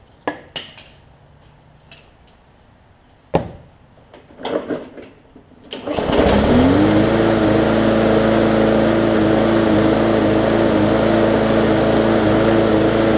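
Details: Bolens push mower with a Briggs & Stratton engine (classic or newer OHV), restarted after refitting the air filter; carburetor gaskets suspected of a fuel-air mix problem. A few clicks and a pull, then it fires and settles into a steady, even run; running normally.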